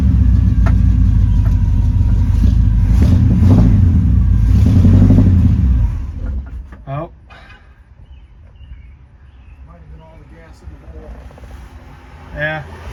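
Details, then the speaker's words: 1972 Chevy C10 350 V8 not run in years, started on old tank fuel: catches and runs rough about six seconds then dies; ran the carburettor bowl dry, started after adding 10 gallons of fuel. "try to crank it again. Huh. Uh I think it needs more gas."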